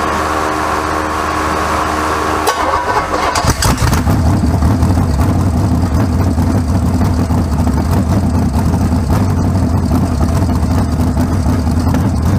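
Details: First start of a freshly rebuilt 408 small-block Chevy for a 1972 C20 truck (to be boosted), with MSD distributor and carburetor and no tune: the starter whirs briefly, then the V8 catches at once into a steady, even, deep idle with no knocks. Normal idle.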